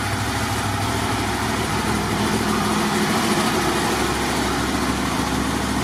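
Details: Motorcycle with 22,000 miles, just fitted with a hand throttle rest, starts and settles into an even, steady idle with no knocks, ticks or misses; battery then reads 13.89 V DC, charging as it should: a healthy idle.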